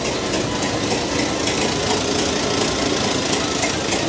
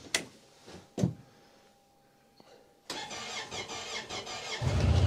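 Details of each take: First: 109-year-old Ford Model T in cold snow before driving off: uneven lumpy idle with irregular chuffing and slightly knocky beat; still cold, needs to wait for it to smooth out. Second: Honda Pioneer UTV started on a very cold snowy day: a few clunks, a quiet pause, then it catches at once and settles into a steady, even run. Healthy cold start.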